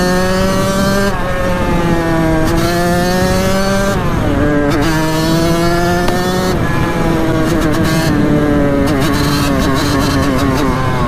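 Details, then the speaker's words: 1989 Kawasaki KX80 big bore two-stroke after rejetting, riding in second gear: revs hang low then surge sharply in bursts; power kicks in very late and abruptly, possibly still running lean. "see how it's a weird power band see it's crazy Torquay now but that's the ride on that thing"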